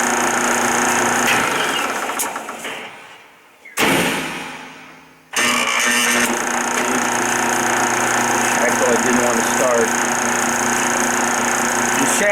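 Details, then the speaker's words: 1976 Westinghouse electric dryer, empty: hum dies away, then motor labours back up to speed with a rubbing rattle; worn bronze motor bushing tilts pulley so belt rides against tension idler, causing hard start. "You can hear that little bit of rub. Part of the noise on here is because of the rattle because the belt is riding against the idler, the tension idler. Open up the door. Try it again. Little bit of a hard start."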